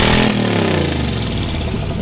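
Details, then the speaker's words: 1974 Chevy Nova, exhaust open with no muffler: loud, raspy, blatty unmuffled bark as revs swell and fall away, with a leaking exhaust gasket joint; sounds bad and needs an exhaust system. "sounds like a turd not good we'll fix it we will fix it"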